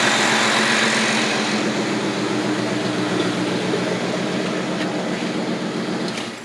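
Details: 1980 Lincoln Continental after an ignition tune-up replacing the bad coil, starter solenoid and ignition switch: smooth, steady idle with an even beat and no popping or stumbling. It idles better than before.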